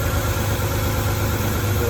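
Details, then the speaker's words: 1991 Ford E150 camper van, 300 ci inline six, after degreasing, gasket replacement, tune-up and timing set; formerly stumbling idle and noisy lifters: even, low-pitched steady idle with no surging or lifter tick: normal idle. "Just gonna show off how smooth she runs. It sounds so good, so smooth. No more noisy lifters. How smooth is that?"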